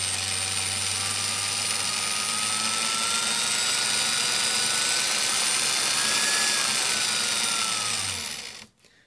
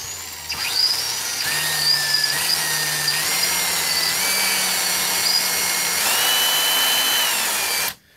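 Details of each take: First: Milwaukee 0435-1 3/8" 12 V cordless drill, circa 1995, after the broken, jumpy trigger switch was replaced, on an M14 battery via adaptor: whine climbs and falls smoothly with the trigger, no stutter. Normal variable speed operation. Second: Circa-1995 Milwaukee 0435-1 12V cordless drill on a 14V M14 lithium battery through an adaptor; the selector switch is broken. The motor whine climbs in steps at part trigger, then drops off, while full bore works: a faulty variable-speed trigger, later replaced.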